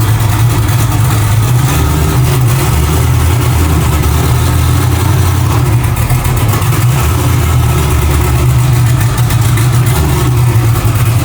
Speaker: Yeah, she's still not running super great. Um, it is on pump gas right now. That's why it's it's not happy. That tune really isn't like super dialed.